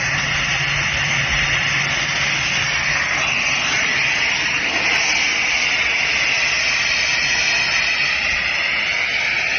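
Steady loud airy roar with a strong hiss up top and no knocks or rattles; screw compressor running normally under load.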